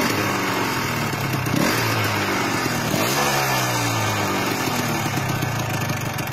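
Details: Yamaha RXZ two-stroke stored long and run once a year, started with one kick after fresh engine oil, petrol and 2T oil: crisp idle crackle with quick throttle blips dropping back cleanly; normal idle.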